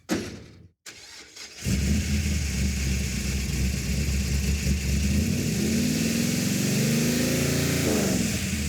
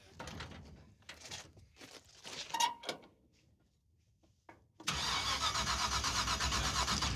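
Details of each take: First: Roadkill car after replacing two failed ignition boxes with a third (vacuum advance, revved to about 4,000 rpm): engine fires, then revs cleanly up and down with a smooth, even note, no stumble or miss; running healthy. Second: Hauler on borrowed ignition box after dying at the starting line: starter churns at an even fast beat for seconds, never fires; ignition box light blinking but no spark, rotor checked fine, distributor pickup next suspect.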